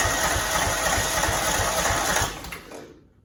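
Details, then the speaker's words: Cub Cadet 2166, 16hp Kohler Command single-cylinder, faulty fuel pump, gas poured into the filter: fires about three times a second for two seconds, then fades and quits as fuel isn't reaching it. Engine stalls after a brief run. "Little tiny funnel. Just pouring a little bit. In the funnel. I mean, it's in the filter. See if that'll do something. That's the longest it's ever ran for me, so yeah, that's exciting."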